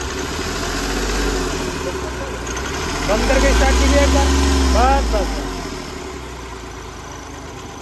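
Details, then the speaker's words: Hyundai Grand i10 diesel with hunting idle, no pickup and no fault codes: idle swells and sags with an uneven, stumbling beat as firing cuts in and out, like one cylinder dropping out; injector fault suspected. "Idol ने पता है कभी firing रुक जा रही है कभी firing दे रही है इसी वजह से ककड़ कड़कड़ रहा है ना तो यह आइडल में कभी फायरिंग दे रहा है कभी रुक जा रहा है"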